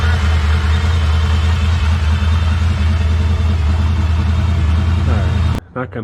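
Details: 1964 Impala SS V8 after frame-off restoration and engine freshening, started cold after sitting, battery charger on, air cleaner off, timing and carburetor adjustments still unverified: steady, even low rumble with a smooth unbroken beat; idles cleanly with no knocks or ticks.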